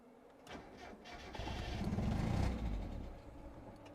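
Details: Mazda Miata that stranded the owner's wife on a freeway, code 1 fail: engine cranks briefly, catches and rises about a second, then fades and dies. Battery found low and a broken part replaced; owner suspects failing ignition switch shorting the air flow meter circuit, unconfirmed.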